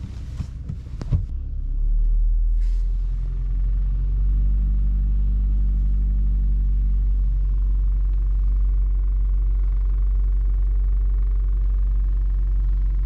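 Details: VW Golf V (Mk5), 50,000 km: the engine starts and settles into a steady low idle with a faint rattle from inside on the right. Loose fuel lines, after a shop fuel-filter change, tap the frame/body; fixed with zip ties.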